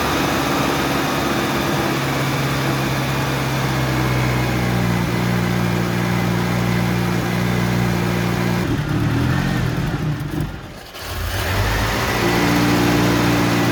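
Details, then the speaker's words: 1985 Mitsubishi Pajero idling on its original carburetor: uneven, loping beat with a stumble that nearly stalls midway; owner suspects a spark misfire and checks distributor cap and rotor; rough idle later cured by a Weber carburetor swap. "Cuz sounds like a misfire to me and misfires usually come from the spark."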